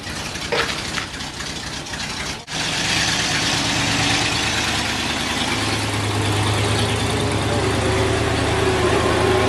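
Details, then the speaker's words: 1946 Chevy 2-ton cab-over, 235 inline six, first start in years after head rebuild freeing two stuck exhaust valves: catches and settles into an even, steady idle with smooth low rumble, no misses or knocks; runs like a dream. "doesn't seem like it though this thing runs like a dream yeah it does"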